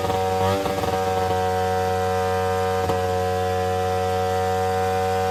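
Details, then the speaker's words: Two-stroke Attex 6x6 with Rockwell engine on restart after choking: steady high-pitched buzz held at high revs without settling; owner thinks it's loaded with fuel from the choke, with oily residue seen. "Why is it ripping? Because I choked it?"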